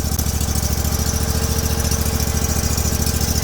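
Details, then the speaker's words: Sears Suburban tractor-snowblower with a 20HP Briggs V-twin after new spark plugs were fitted: it starts immediately into a steady, even thumping idle with both cylinders firing; normal idle, with a fouled plug the likely cause of the earlier issues. "took off immediately that sounds way better she's running on two"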